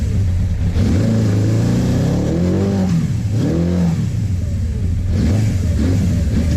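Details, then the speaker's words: Suzuki GS850 motorcycle after valve adjustment, fed from a small fuel container: revs swell and sag unevenly between blips, engine stumbling; ticking gone but runs rough, owner suspects carburetor issues, not confirmed. "Still doesn't run great, but that sounds just like some carburetor issues, so I can get that fixed."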